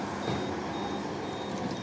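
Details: Skid steer moving damp dirt piles for a pole barn foundation, reversing. Clear high beeps repeating about twice a second over a low diesel rumble; the backup alarm sounds normally.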